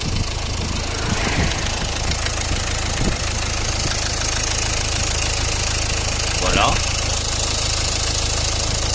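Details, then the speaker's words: Renault Clio Estate 1.5 dCi diesel idling before decarbonising: uneven, random light clacking over the rumble, not steady, owner hears injector clatter; injectors to be checked with diagnostic tool. "alors je sais pas si on arrive à entendre sur la vidéo mais on entend un claquement d'injecteurs"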